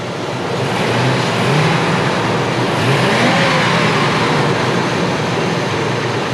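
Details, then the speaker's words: Ford F-250 after new spark plugs, wires and radiator hoses: revs cleanly and smoothly with no stumble, popping or miss, then settles back; running clean and a lot better. "Other than that, it sounds good. It sounds great."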